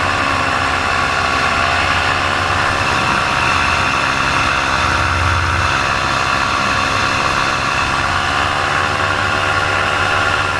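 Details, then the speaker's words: Paramotor two-stroke losing power in flight while the pilot steadily loses altitude heading back to the landing zone: wavering, sagging drone. The motor later died completely over buildings; the cause is undiagnosed. "And as I was crossing over the buildings, my motor completely died."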